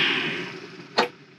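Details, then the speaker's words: 20-year-old Webasto diesel heater in a caravan, retest after freeing the fan that was rubbing the circuit board: fan whoosh fades within a second, then a click; rubbing noise gone but fan still stops; diesel not properly connected yet. "Sounds better, but it's stopping still."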